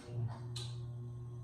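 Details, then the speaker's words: John Deere 111 lawn tractor, newly wired light bar relay and rocker switch: crisp clicks over low electrical hum as relay switches on and off; working correctly. "hear the relay cutting on and off. Yeah, that'll work."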